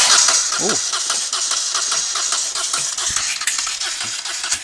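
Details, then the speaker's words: Moto Guzzi twin, not run in over ten years, rebuilt carbs, no working throttle, extra fuel poured in: irregular sharp pops and bangs but never catches; owner unsure whether too much or too little fuel, possibly flooding. "it was trying to pop and bang maybe I've got too much fuel and maybe I've got too little fuel I'm not sure"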